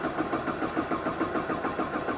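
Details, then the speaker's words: 2012 Jeep Patriot, 141k miles, code P0339, stalling and running poorly after another shop replaced a sensor: steady rhythmic cranking with no catch; crank signal present but won't start until a key cycle, suspected PCM logic. "you know what here let's check this so right now it's not starting"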